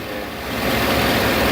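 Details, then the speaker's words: 2008 Chevy Avalanche V8 at idle with a P0300 random misfire code, idle-only. Uneven beat with an occasional rough stumble that matches sporadic changes in burn time. The cause was later found to be a cracked spark plug porcelain. "It's very sporadic. And when I see that burn time change, I can actually feel it get rough too, right there."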